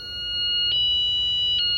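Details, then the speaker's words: Catch kayak's armed alarm system, set off by tampering, cycling through about seven car-like alarms: loud, piercing high-pitched electronic tone holding steady with brief warbles; alarm sounding as intended. "And if I mess with it again, sets off the alarm. It cycles through, I think, 7 alarms, kind of like the cars do."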